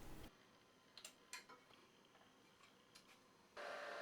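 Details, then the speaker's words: HICTOP S250 3D printer Z-axis after realigning the motor bracket to the acme screw, moving to the bed-leveling points: light clicks, then an even stepper hum with no knocking or grinding. Normal, smooth Z-axis movement. "now when moving to the leveling points everything sounded smooth as butter"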